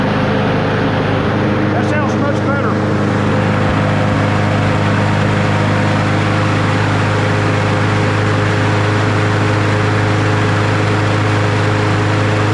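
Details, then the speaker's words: Troy-Bilt TB110 push mower, Briggs & Stratton 550EX, after oil change, new spark plug, new blade, fuel tank replaced and carb cleaned: steady, even drone at about 3100 RPM, no surging or misfire; normal running. "all right that sounds better perfect RP 3100 3100"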